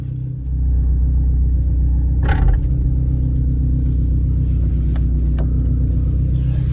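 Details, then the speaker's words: 1998 Honda Civic after replacing a suspected bad fake MAP sensor with a Denso 3280 stock sensor: a steady, even low rumble with no stumble, idling smoothly. The misfire is gone and no sensor codes appear. "So far, so good. No sensor codes popping up. It's running is pretty good."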